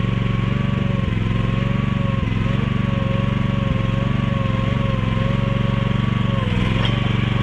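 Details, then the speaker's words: Mini excavator with pull start, repaired after being bought broken and then sitting about 3 weeks, oil and fluids still to be checked; small single thumping steadily at about four beats a second, even, no misfires or knocks, running pretty good. "[snorts] It seems to be running pretty good."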